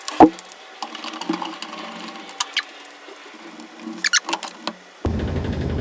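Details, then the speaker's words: Top-load washing machine after fixing its vibration problem: a low, fairly steady hum with only occasional light knocks, running smoother instead of banging. "so it seems like it's running smoother Steve a little bit knocking but at least it's functioning right now"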